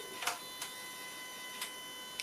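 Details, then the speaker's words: Jaguar AJ30 Duratec V6 in a Gilbern restomod, injector actuation test from tuning software (slow toggle, injector three): four faint, sharp, irregular ticks over a quiet hum, a single injector clicking on command. "Tick tock. Tick. It's quite quiet. You may be able to hear it, maybe not."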